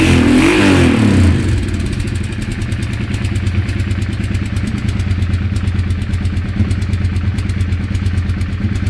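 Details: Engine revs briefly, then holds a steady idle with a fast, fairly even mechanical ticking over the low drone; abnormal ticking, cause unknown.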